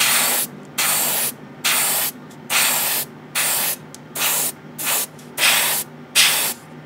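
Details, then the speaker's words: New Gaahleri GHAD-39 Advance airbrush painting an old kit at low compressor pressure, about 15–20 PSI: short even hissing bursts about once a second, clean starts and stops, no sputter; spraying smoothly. "it is very smooth I don't have to say that for certain and I'm using a very low pressure here about 20 about 15 PS SI"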